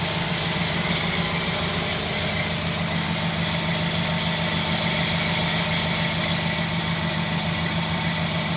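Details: 1952 Ford F1, cold start after sitting 7 days, choke pushed back in; smooth even idle with steady low beat, no ticks or knocks, running cleanly.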